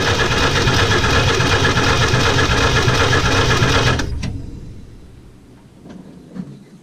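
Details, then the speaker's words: Willys truck, a little fuel in the bowl, battery connected: rhythmic starter churning at two to three turns a second, no firing, then stops; no spark because the coil wires were not hooked up. "Well, Give Me Fuel, Give Me Fire definitely plays a role in this because I forgot to hook up the other wires to the coil."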